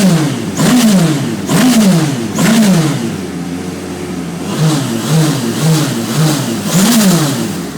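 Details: Radical SR3 race engine on a dyno during fault finding: revs in short repeated bursts, stumbling and uneven as it misfires under load.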